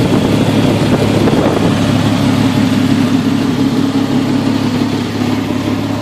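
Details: Jeep XJ 4.0 ('98 motor), coil refitted with custom straps: rough, uneven idle with a lumpy, stumbling beat under a low engine drone. Misfire at idle, cause unknown.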